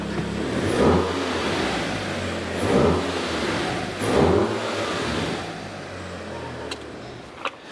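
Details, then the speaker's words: Wrecked MK6 VW Golf R, started with its blown dashboard removed and many sensors unplugged, so warning lights are on: the engine takes three clean blips and settles to a steady idle with no knocks or rattles, sounding healthy. "however check this out guys it starts and it sounds good and it looks"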